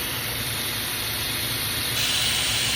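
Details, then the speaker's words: 2015 Holden Astra 1.6 at idle, with a steady airy whistle/hiss over a rough low rumble and high short- and long-term fuel trims: a vacuum leak through a failed PCV valve. "um engine noise whistling vehicle idling wrap and silling noise holdin astra a 2015 1.6"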